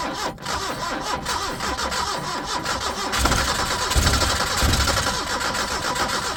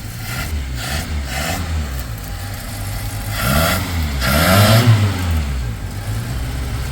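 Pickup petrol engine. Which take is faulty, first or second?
second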